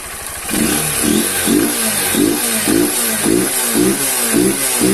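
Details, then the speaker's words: Honda CG 160 Fan single-cylinder, 6,000 km, after home adjustment and warm-up: even steady idle, valve tapping gone; normal idle. "pronto galera Ó o BR ficou já ó Parou de bater as válvula agora galera ficou normal"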